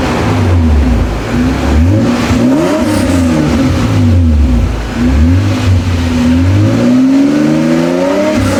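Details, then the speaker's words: Toyota Cressida MX83 on a temporary exhaust, after the distributor was rotated in the correct direction: steady idle with crisp, even throttle blips and no misfire or stumble; runs healthy. "I must have rotated it the wrong way, but now I've got it rotated in the right direction, so it should fire right up, sound a lot better."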